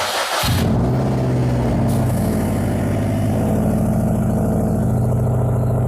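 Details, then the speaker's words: Subaru with straight-pipe exhaust (muffler deleted), started in garage, knock reported at higher rpm: loud, steady idle with even low exhaust pulses and no tapping; no audible rod knock at idle, knock only appears when revved (cause suspected, oil pan to be checked). "so hopefully you can hear me it sounds normal I don't hear any rod knock at all"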